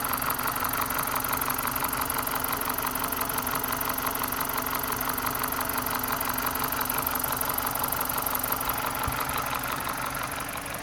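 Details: BMW 318Ci Cabrio 2.0 N46B20 150 hp, earlier cylinder 4 misfire from an intake vacuum leak (new coil and plug, compression 14.7, trim +15): steady, even idle with a regular pulse and no rev hunting, engine idling smoothly.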